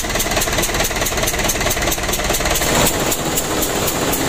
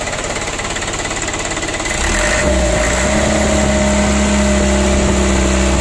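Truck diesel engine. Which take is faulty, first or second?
first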